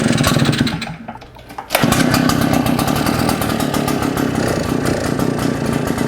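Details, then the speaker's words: Shindaiwa EB802RT commercial backpack blower with Walbro carb, idles but dies on acceleration, run without air cleaner and spark arrestor: loud, ragged two-stroke, about four uneven pulses a second, never picks up; no change except louder, carb suspected. "Nope, not much of a difference, except that it's louder."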